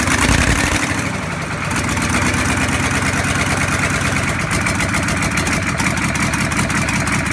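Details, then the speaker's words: Land Rover Defender with V8 conversion, first start from cold, run without exhaust or coolant: loud, even V8 burble from open pipes, crisp, with no misses, knocks or ticks; normal running. "I don't think my neighbours appreciate it, but that's one of the nicest sounds I've heard in a while, is that starting up from cold."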